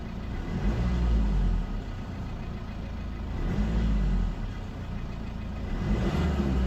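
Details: 2005 Mercedes C220 CDI 2.2 diesel 150 hp, check engine light, limp mode capped at 3500 rpm, mornings needs full throttle twice to clear: revs up hard, flattens at low ceiling, tinny rattle as turbo spools down; cause unknown.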